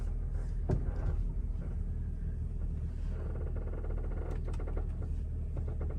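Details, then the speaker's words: 2002 Mercedes W210 E430 driving at crawling speed: dry rubbing creaks over low road rumble from totally worn-out suspension bushings. "hear that creaking that's the uh SAR bushings totally shot sounds terrible"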